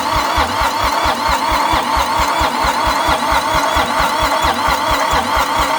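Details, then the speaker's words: Long-abandoned International 284/285 4x4 diesel tractor, fuelled, primed, with glow plugs refitted and idle-up not connected: steady cranking at about 88 turns a minute with uneven half-catches, close to firing. Owner suspects ATF left in the cylinders. "Oh man, we're so close. All right, I just got to give it think a little bit more throttle. Give it some more glow plug. Super close."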